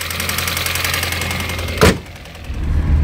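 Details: Mini One R50 1.6 16v 90hp at cold idle: fast, even metallic rattle that then drops away, irregular and new when cold; owner attributes it to a slack timing chain from the hydraulic tensioner.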